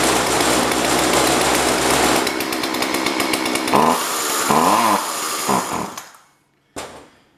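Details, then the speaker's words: Jonsord 2036 Turbo chainsaw buzzes hard for a few seconds, stumbles through uneven revs, then cuts out. Owner suspects it ran only on fuel left in the crankcase, or that the switch was flipped off. "let's try again I wonder if I flipped the switch off and that's why it died"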